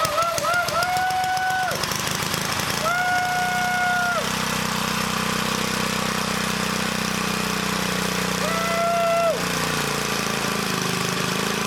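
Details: 1959 military petrol engine after carburetor work, exhaust manifold only with no muffler: steady fast idle with an even but rough shaking beat, engine shakes and vibrates a lot, otherwise running cleanly.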